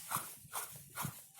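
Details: Opel Astra at about 122,000 km. Its SKF water pump, fitted with the timing belt about 10,000 km earlier, gives a rough, crunchy grinding that pulses about twice a second when turned by hand with the belt off: a worn bearing.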